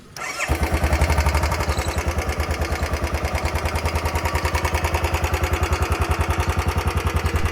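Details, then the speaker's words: Royal Enfield Bullet 350 BS6, about four years old, roughly 3137 km: engine fires up, then a sharp even tick-tick at roughly three and a half per second over idle, never heard before; tappet ticking from low oil, going to service centre. "ये आप सुन रहे हो ना कैसे kit की आवाज आ रही है मतलब एक अजीब सी आवाज आ रही है पहले ऐसी आवाज जिसमें कभी भी नहीं आती थी"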